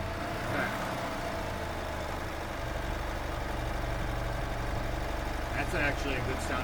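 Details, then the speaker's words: 1997 EZGO TXT gas golf cart, hard starting after sitting, after valve lash adjustment: low, even putter at idle, steady beat, no knocks, misses or smoke, moving freely; normal idle. "That engine sounds good. Yeah. See, everything's moving freely. It's It's not overgoed. It's actually in really good shape."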